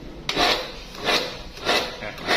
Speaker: อาการที่มันกระตุกนะครับผมมีอาการที่ว่าเวลาเราปล่อยปืนแล้วเครื่องมันไม่ตัดการทำงานนะครับมันจะตุ่มนะครับ